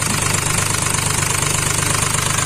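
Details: Hyundai Xcent diesel with Delphi injection, low fuel pressure: idle with a hard, rapid knock and uneven misfiring pulses. An injector was showing excessive return flow.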